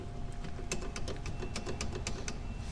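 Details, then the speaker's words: Renault Duster 1.6 with K4M engine: quick, uneven metallic clicks and taps as the loose brake caliper knocks on play in worn guide pins; the pads are still good and the bracket pins need bushing. "o que faz barulho aqui bastante é é a pinça ó a pinça Bate bastante tem folga aqui no"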